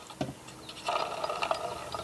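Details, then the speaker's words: La Crosse TX144W wind speed sensor, reassembled after its bearings failed: light irregular plastic clicks as the hand-spun wind cup turns; the reed switch turning on and off normally. "can you hear the clicking so that is the re switch inside turning on and off"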